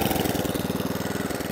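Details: Atco Balmoral electric-start cylinder lawnmower after a service for carburettor fuel starvation, revs and tick-over adjusted: a quick, even putter of about twenty beats a second with no misses or knocks. The engine is running normally.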